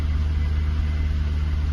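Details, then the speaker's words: Jaguar XK8 first run after standing since late 2014, on original petrol, with fresh oil and new Lucas fuel pump: smooth, even low rumble with no knocks or misses; engine management light on; normal idle. "feels like it's pulling which it sounds fantastic"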